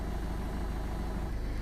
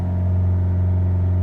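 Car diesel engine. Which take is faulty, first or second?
second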